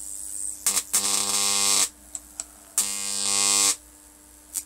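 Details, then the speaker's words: Homemade high-voltage transformer with rewound secondary coil, around 20 volts input: two harsh, hissy buzzing bursts at steady mains pitch with sharp crackles between, corona discharge leaking off the high-voltage winding, heard through the handle. "see I can hear that on my handle already the corona"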